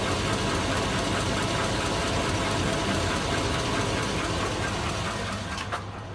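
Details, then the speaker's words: 2002 Chevy Avalanche, warm idle with good oil pressure: steady pronounced knocking about four a second; rod bearing suspected, with piston slap, exhaust leak or valve tick also considered, unconfirmed. "that good oil pressure but she's got a pretty good knock let me know ugm fans should I get rid of her I think so she does not sound too good"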